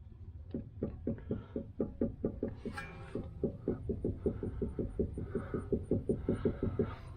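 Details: 2009 Mustang front-end noise: rapid, irregular hollow knocks, two or three a second, as the suspension is worked by hand; likely a worn or broken sway bar end link.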